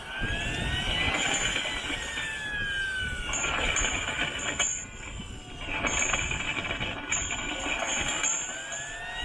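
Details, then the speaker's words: Model turbine engine spooling up: high whistle with a gritty, glassy rasp churning underneath and oil coming out. Gearbox second-stage bearing damaged after a blocked restrictor starved it of fuel/oil. "Can you hear like the glass effect? There's a lot of oil coming out of that."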